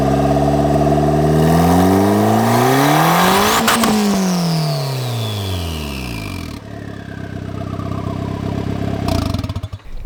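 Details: Honda EK Civic with a newly installed large T3 turbo kit, first run: engine revs climb hard and a thin whistle rises with them, then falls away as the revs drop; healthy turbo spooling on free revs.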